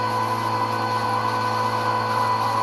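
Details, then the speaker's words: 1999 Nissan Frontier VG33E turbo Fuelab electric fuel pump after a few minutes' running, regulator being raised to 30 psi toward a 43.5 psi target: steady mid-pitched whine that loads down slightly, no dropouts or rattle; normal under pressure. "so now we're at 30 psi you notice the pump sounds like it's loading down a little bit"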